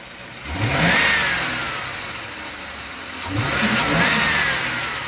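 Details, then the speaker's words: 2004 Ford Crown Victoria Police Interceptor V8 with a miss, heard through the intake: two throttle blips, each with a hollow woof and hiss as revs rise; owner suspects a vacuum leak, not confirmed. "it kind of gives a woof like it's sucking somewhere it's not supposed to suck"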